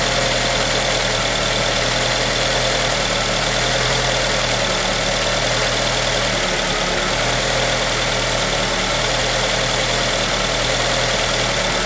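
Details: 2003 Acura RSX Type S petrol engine at idle: slightly uneven, lumpy beat under a hissy, busy top end; rough idle, owner unsure of the cause.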